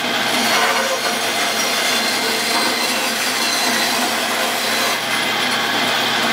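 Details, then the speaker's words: 110-year-old Crescent bandsaw after new motor mount, pulley and aligned wheels: steady, even hiss of the blade through wood with no knocking or slapping from the drive, much quieter than before; cutting normally. "So here we go. Much quieter than it was before."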